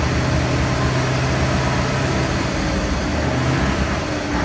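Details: Centurion ARV tank winch engine, just started after battery swap and cleaning: heavy, slightly uneven low rumble, a bit lumpy and loaded; running rich.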